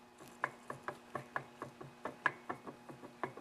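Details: Homelite 330 chainsaw crankshaft rocked up and down by hand, gripped by the shaft rather than the clutch. Sharp, distinct clicks about four per second reveal play in all directions: worn crankshaft bearings.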